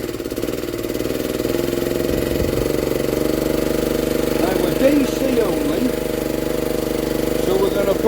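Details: 1960s Honda ED250 DC-only generator, restarted to test its output with a multimeter: the small single-cylinder settles into a steady, even mid-pitched drone, running cleanly.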